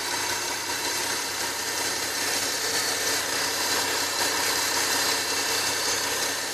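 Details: Nissan 370Z at idle: a thin high whine rides steadily over the engine hiss at constant pitch; source of the whine not pinned down.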